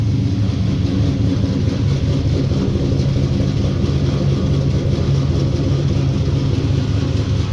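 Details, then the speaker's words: 1965 Impala with LS swap, cammed 5.3 V8, first start on base HP Tuners calibration: low steady rumble, slightly lumpy but even beat, no ticks or knocks; freshly started V8 idling well. "We'll get the scanner fired up here and hit the key. [Music] [Music] Oh, that sounds nice."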